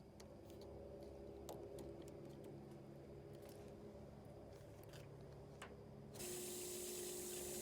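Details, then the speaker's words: LG washer not filling, inlet valve powered for testing: water rushes through, then the solenoid buzz turns louder and harsher as it strains to open, heavy resistance; shorted water inlet valve, needs replacing. "hear that that's heavy heavy resistance okay it's taking more energy to open that valve so that's a shorted valve that valve is bad"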